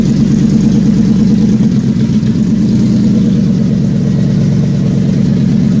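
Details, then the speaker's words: Factory Five Mk4 first start, oil pressure about 100 psi: deep, even V8 idle with a steady beat and no ticks or knocks, quieting down and settling into a healthy idle. "quiets right down doesn't it"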